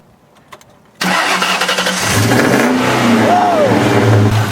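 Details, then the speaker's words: Car that would not crank due to a corroded battery terminal, battery fully charged, after cleaning and retightening both terminals: after a quiet pause it cranks, fires right away and revs up smoothly into a steady run; a clean, normal start. "okay now it's it's started"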